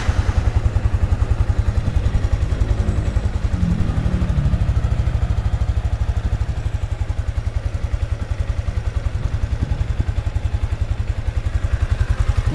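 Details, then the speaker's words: Sniper 155 motorcycle just after an oil change with Shell Advance Long Ride oil and a new oil filter: even, steady single-cylinder idle thump, about two beats a second, no ticking or knocking; no unusual noise, engine healthy. "Siyempre, pakinggan natin kung meron siyang kakaibang tunog. Wala naman. Siguro 1 minute na ganyan."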